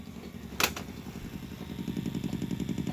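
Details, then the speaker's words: 1984 Sharp VC-498C VCR, audio dub mode on linear audio: steady low popping about three to four a second during playback, sound only from one channel, possibly out of alignment. "if you want to get out of audio dub mode you just hit play again that was the popping turn this volume up"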